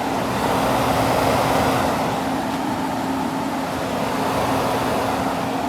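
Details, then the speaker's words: 2001 Kenmore (WCI) 8,000 BTU R-22 window air conditioner, first start in an unknown period; outdoor condenser fan louder than the indoor fan, steady airy rush over an even low hum with no rattles; normal. "That fan's louder than the indoor fan."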